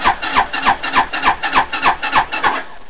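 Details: 260cc scooter after fitting a new carburetor, gas added at the carb: starter churns in steady strokes about three per second but engine never fires; cranks, no start, cause unconfirmed.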